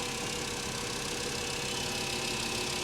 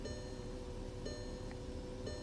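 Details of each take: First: Mercedes S550 salvage-auction car with a repainted rear and the newest-looking belt under the hood. The engine gives an even, steady idle hum over a hissy background with no knocks, misses or rattles. Normal idle. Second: the steering steering feels fine it's idling rough right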